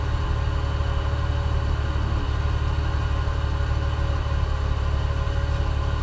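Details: OMC 4.3L V6 marine engine, started after charging the cranking battery; slow cranking was caused by a ~6 V drop across the jumper cable, not the starter: steady, even low rumble with no misses or knocks; normal idle.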